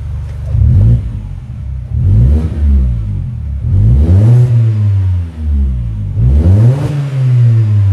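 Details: Mini Cooper Convertible with an aftermarket sports exhaust, after a fix for the pipe touching the body (the owner had suspected the suspension). Sporty note rises and falls through several revs, smooth with no rattle or knock. The exhaust is healthy.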